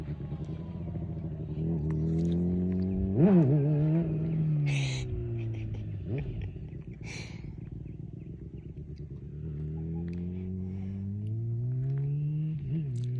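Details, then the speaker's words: 2008 Honda CBR600RR, 39,000 miles, partial Yoshimura exhaust, revived after sitting two-plus years with fluid changes, new chain and sprocket: smooth idle with a sharp rev and steady climb, crisp and even; healthy normal running. "yeah God it sounds so good dude healthy yeah yeah"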